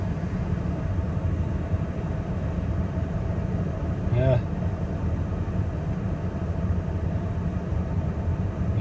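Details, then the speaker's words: 2000 Ford F450, crank-no-start fixed by replacing the fuel pump: starts after brief cranking, then a steady, even low idle with no stumbling, one brief blip midway; runs healthy. "okay let's see if it'll start almost there we go that was the fuel pump"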